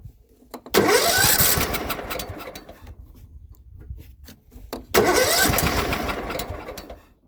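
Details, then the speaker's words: John Deere L110 lawn tractor that sat 3 years, with choke: two cranks each catch briefly then sputter out; fires but won't stay running, owner suspects stale fuel. "Fires, but it won't stay running. It's firing, but it's not running because I think the fuel's rubbish, which makes sense if it's been sitting for, like I said, 3 years."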